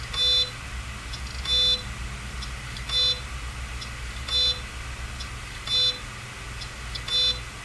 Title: Seagate Hard Drives - Clicking Noise - Examples